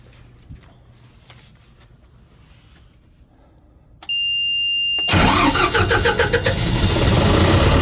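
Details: Kohler 100 generator after swapped sensor wires were corrected and a four-year-old battery replaced following overcrank failures: a short steady tone, then the engine catches straight away and settles into a strong, even run.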